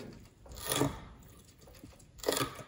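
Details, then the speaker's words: Fox X2 rear shock on a test stand, freshly serviced with the old kit and not ridden since: two hissy, crunchy gurgles as it strokes, gas appearing in the oil, i.e. cavitation, not a leak. "ça, c'est un bruit de cavitation."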